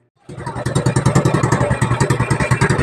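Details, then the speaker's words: Carbureted 110cc Rusi TMX-style motorcycle with hard-starting problem, after fitting the air cleaner: small single thumping at about three and a half beats a second, slightly uneven but keeps running; normal idle. "Yung menor niya akala mamamatay pero hindi naman tuloy-tuloy pa rin siya dapat."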